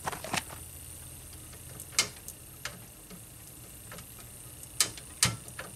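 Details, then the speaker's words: 25-inch U5000 arcade monitor chassis with vertical collapse: sharp, irregular snaps and ticks over a faint hiss as the flyback transformer arcs internally, with a smell; flyback to be replaced. "oh listen that flyback is is making all kinds of funky noises sounds like it's arcing inside of it uh i think this needs a new flyback"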